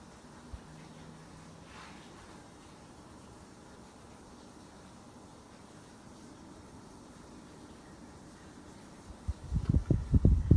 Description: Brand new Mitsubishi Air Conditioner shortly after being turned on. is Whisper quiet.